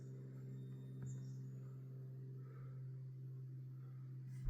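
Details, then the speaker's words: Van electrical system, Victron GX IO-Extender 150 driving generic PWM LED dimmer modules: steady low constant-pitch electrical hum as lights switch on; one PWM dimmer module humming audibly. "We can get our lights on and off. Man, you hear that one hum."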